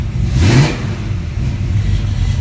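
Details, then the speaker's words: 1974 AMC AMX Javelin V8 just started: deep rumble blips up smoothly and settles into a steady, even idle with no knocks or misses; healthy running engine. "Car fires right up. It's a great engine."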